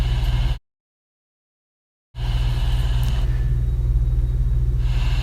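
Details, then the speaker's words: Slab leak in house heard through kitchen floor with deck plate ground microphone, confirming earlier detection: steady low rushing rumble with faint pulse, unchanged throughout, pressurised water escaping beneath concrete; leak found under kitchen floor when cut open. "You'll hear these leaks, and we confirm that we're on it."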